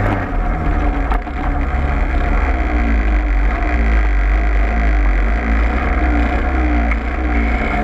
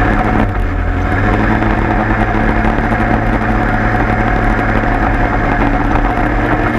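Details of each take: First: Peugeot 103 moped running: loud, deep, steady drone with a rough shaking undertone; heavy, odd vibration, cause not yet clear. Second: 103 moped two-stroke after leak fix, plug found very rich: steady even idle with smooth low burble, no stumbling or hunting; idles cleanly.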